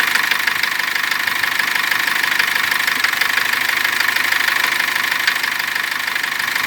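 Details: Cummins diesel: knock began while driving with the engine briefly seizing; after turbo repair and injector check, warmed up at 2000 rpm the knock returned, steady about three per second over idle clatter, stopping after two minutes; full teardown found no cause.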